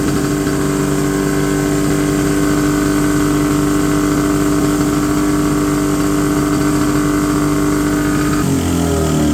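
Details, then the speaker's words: 1970 Polaris Mustang snowmobile twin two-stroke, unstarted for 10 years: fast, steady buzzing idle that won't come down after turning idle screws a quarter turn; throttle cables set too tight; high idle. "okay my idle screw didn't seem to help at all so I'm going to adjust these the the adjustment on the throttle cable itself will loosen these up and then see if that Barrel is just hanging a little high on there"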